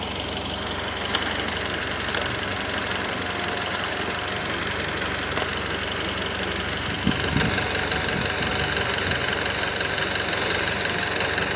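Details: Mitsubishi Lancer Evolution X, abnormal engine noise at cold start and idle: fast, uneven tick over engine hum, tone shifts and rises around seven seconds; ticking at idle, cause unclear.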